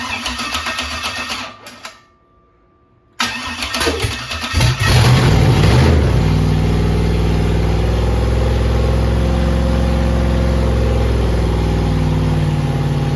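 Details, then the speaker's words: Rebuilt 5.3 LS V8 with Truck Norris cam, BTR beehive springs, carburetor and MSD ignition box on preset, first start: stumbling start with a backfire, then loping uneven idle with a missing beat; ignition timing wrong, preset changed. "Uh, the timing wasn't right at first. Uh, so I just put it to a different preset on the MSD box."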